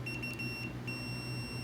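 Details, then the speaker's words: Multimeter continuity test: clear high-pitched beep starting and stopping as the probes touch, sounding below about one ohm so the meter needn't be watched; continuity tester and leads working normally. "when it gets to less than an ohm on this one it'll beep so you don't have to look at the meter you don't even have to look at the meter you just hear it"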